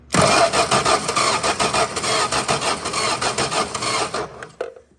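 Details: 1961 Plymouth Valiant off the road about 30 years, fuel line disconnected, spark confirmed: steady starter churn at about three beats a second with no firing or catch. Cranks but won't start; timing thought to be off.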